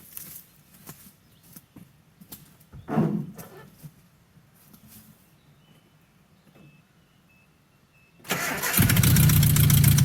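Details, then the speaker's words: 1984 Nissan/Datsun 720, Z24 four-cylinder, first start after about 20 years sitting: a quiet spell with a few coughs, then it catches and settles into a loud steady run on hand-poured fuel; engine starts on hand-poured fuel. "Hey! Definitely got fire. Let's just slug a little more gas down it."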